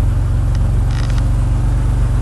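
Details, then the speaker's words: 1991 Chrysler LeBaron convertible, fuel-injected 3.0, cold start on a new battery after sitting almost 7 months through a Minnesota winter: low, even, quiet idle with steady pulses, no knocks or ticks; normal idle. "i don't even know if you can hear this thing run on the camera pretty quiet runner"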